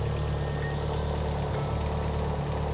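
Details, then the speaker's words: Mitsubishi Evo track car after a new downpipe was built so the downpipe and wastegate flanges both seal: a steady, even idle rumble with no ticking or puffing. No exhaust blows. "The proof is in the pudding. There's no blows on that exhaust, that sounds an absolute dream."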